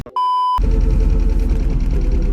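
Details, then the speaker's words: Inside an old MGB GT with the engine running: one short, clear mid-pitched beep under half a second from the front-facing GoPro, then engine noise; the camera's dead-battery warning. "the front facing camera the battery is dead which means i've got to get out and put a new battery in it"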